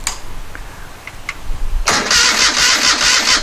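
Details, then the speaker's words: 1973 Moto Guzzi Eldorado off road 40 years, first start attempt after tank coating and carb cleaning, compression and spark confirmed: starter cranks about four beats a second without firing; fuel starvation suspected. "we don't so i guess we suspect fuel we don't have fuel"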